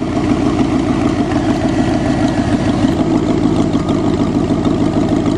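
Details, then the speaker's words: Cheviac in freezing weather, after making fan clearance at the rad cradle: steady, smooth quiet idle with even beat, no knocks or misses, running on its own. "Now you better turn that on and play it in stereo, baby. Quiet motor."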